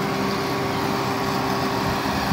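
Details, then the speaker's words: 2003 Honda Foreman 450 with temp sensor heated and grounding internally: radiator fan switched on, steady mid-pitched hum without wavering, overheat light off; normal fan operation after repair of a non-working fan. "it's grounding internally through that little prong back to ground running the fan circuit you can see the fans running you can hear it"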